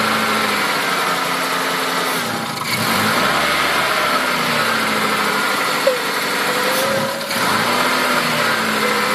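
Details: Mazda 323 petrol engine with an idle misfire from a vacuum leak sucking in unmetered air: a rough, hissy idle with occasional stumbles.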